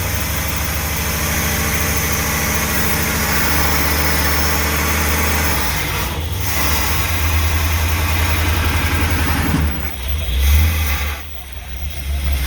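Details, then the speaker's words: Old motorhome V8 on a road test: deep, even rumble holding steady for most of the clip with no misses or stumbles; running smoothly, though it quits shortly after. "See, she runs good now. I'm pretty excited about this."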